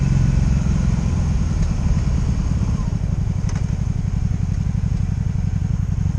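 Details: 2002 Honda Magna VF750C V4 during a rebuild, first warm test ride running non-stop, with no ignition cuts or bucking; transmission jerky. A steady, even low exhaust drone while riding, with no misses or cut-outs. Normal running.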